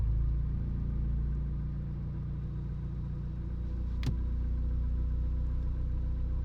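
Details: Car that also jerks under load and hard acceleration idles with a low, uneven rumble, irregular stumble and hiccup in the beat; misfire at idle, cause unknown.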